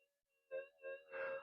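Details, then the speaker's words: Modified Minelab SD2100 metal detector with variable gain turned down, just switched on after repair: wavering, groaning threshold that slowly stabilizes; possibly receiver input near the flyback, low tone setting, or a remaining fault. "that can indicate that the receiver is still getting some input near the flyback it's just a characteristic noise they make"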